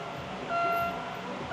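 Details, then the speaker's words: Pontiac Solstice GXP, 2.0L LNF turbo Ecotec, neglected and sitting dead, just given power with a new battery: a thin, high squeal in half-second bursts about once a second, traced to the windshield wipers running dry. "Something's squeaking up there. Uh-oh. But But let's see if we can narrow down where this high-pitched squeal is coming from."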